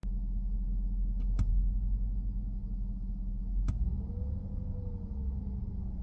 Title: W221 S550 slow return to idle, rough idle, rising rpms, low power